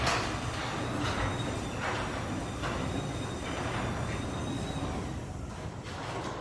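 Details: Newly installed LiftMaster 8160W Wi-Fi DC-motor chain-drive opener, 8 ft rail, soft start and stop; soft, even motor and chain hum with a light rhythmic roller rattle, quiet and smooth, normal.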